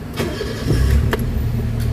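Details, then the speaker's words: Toyota Vitz petrol engine after replacing the number 3 ignition coil (Taiwan replacement) and cleaning: catches on first crank and settles into a quiet, even idle with no misfire or shake; the earlier vibration is gone. "okay yung andar Okay na tahimik na yung andar so check na check natin yung ano yung engine okay na pa"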